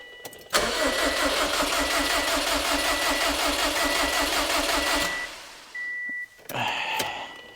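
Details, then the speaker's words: Built 2007 Subaru STI ("Hawkeye") on Cobb Accessport base map, first start: steady fast starter churning for about four seconds with even compression pulses, never catching, because the crankshaft position sensor was unplugged, so no crank signal. "H give me a sec you know it's late let me plug in my crank sensor"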